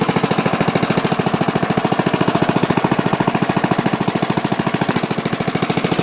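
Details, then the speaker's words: Trash-picked Bolens mulching mower, 3.5 hp Briggs & Stratton, after new spark plug, cleaned carburetor, new gas, oil change and sharpened blades: strong even single-cylinder putter, no misses or knocks; runs smoothly. "I sharpened up the blades, put in new gas, and changed the oil, and it runs really well now."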